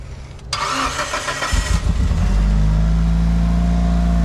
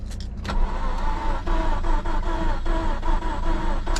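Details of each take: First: It's quiet. I was expecting it to be tappity. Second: Slow, laboured cranking in uneven pulses without firing; battery too weak, needs the jump pack.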